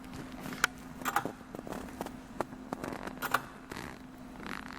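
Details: Late-1940s Omega display model of a Swiss lever escapement (escape wheel, pallet and balance wheel): sharp light ticks over a quiet background at a slow, fairly steady pace, the escapement releasing power normally.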